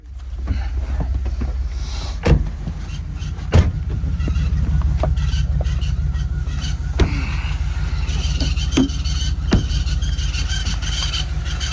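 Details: LS1 V8 Holden Adventra at idle: irregular sharp knocks every few seconds over a low rumble. Power had cut past 3500 rpm and worsened after six months of storage; lifters looked fine with the heads off, and the cause is unknown.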